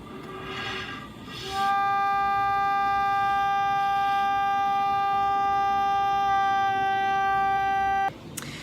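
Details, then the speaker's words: Organ pipe meant to sound G, pulled and put back in place after a cipher, held on a tuner before adjustment: single steady, breathy pipe note about six seconds, slightly off its intended G, so the pipe needs retuning. "this is supposed to be a G so you'll see it on the tuner and then we'll adjust it"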